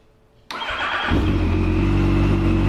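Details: Yamaha FZ8 that would only start by push and not from the button, after fixing with a stronger 10 Ah battery replacing a dead 7 Ah one: starter catches, engine fires and settles into a steady, even idle with no misses.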